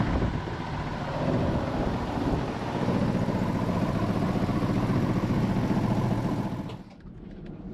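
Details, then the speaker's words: Jeep Cherokee 4.0 first run after rebuild and reinstall, fuel rail O-rings replaced; coarse steady rattle over idle until shutdown; last two bellhousing transmission bolts not yet installed. "It was making a weird noise, which freaked us out. We thought it was something bad, but we didn't put the last two. These last two transmission bolts, the E12, because we broke the vent tube from the back."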